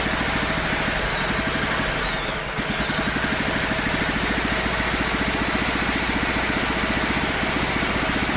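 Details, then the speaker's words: Small single-cylinder engine on a Mikuni carburetor and a temporary 3D-printed PETG intake manifold: fast, steady popping beat with a faint whistle above it; runs evenly, with a slight low-end velocity issue from the large carb. "I'm pretty happy with how that runs it's got a little bit of a low velocity issue at the bottom end but that's typical of a large carburetor on an engine like this"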